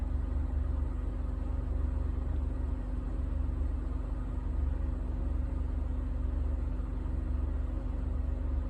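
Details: 2007 Honda Ridgeline V6 on a cold first start: low, lumpy idle with an uneven stumble about four times a second; misfire and rough running only when cold, with the VTM4 light on.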